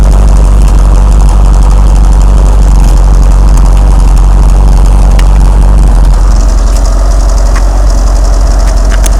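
Deep, heavy idle with an uneven, lumpy beat of roughly four pulses a second that never quite settles; the engine is idling rough.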